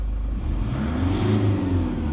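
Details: 2013 Toyota Hilux 1KD-FTV diesel with full DLC injectors, cold idle and brief rev: low even note, no rattle; it rattles only under load from 2000–2500 rpm and at highway speed, and new injectors didn't cure it.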